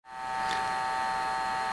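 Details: Desktop computer gives a steady, high-pitched electric buzz from the small cheap fan on the SSD card heat sink, which is failing and has gone bad twice in a couple of years; it makes 90% of the noise among nine fans.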